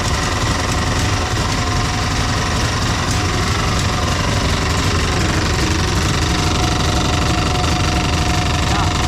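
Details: Dodge Charger 440 big block V8 running; hard, uneven metallic clatter about four per second; crank striking the oil pan or pickup tube.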